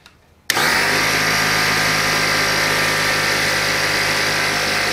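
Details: Old Craftsman (Porter Cable) air compressor after air-leak repair, test run before final cover assembly: sudden start into steady high-pitched motor and pump drone with constant hum, no leak hiss; runs smoothly.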